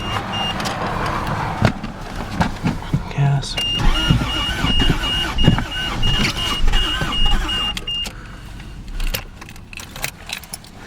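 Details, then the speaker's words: 1983 vehicle, a bit cold but plugged in: the engine turns over on the starter in uneven bursts but never catches; cranks without starting, with a little black smoke from the exhaust. "I'm going to try to start I'm going to show you that she doesn't start that's all she"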